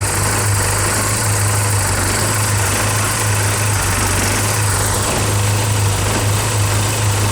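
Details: Early Porsche 944 four-cylinder at idle: low, uneven drone that dips, with near-stalling and bad hot start, from a leaking fuel pressure regulator that failed a 20-minute leakdown test; a new regulator cured it.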